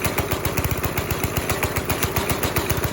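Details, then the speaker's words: Go-kart with a 5.5 hp Briggs & Stratton single, pedal floored: thumps about two and a half beats a second and never picks up. No throttle response because the throttle cable came loose, with no tension. "Like, my foot's on the floor, and we're not getting, like, full reaction here."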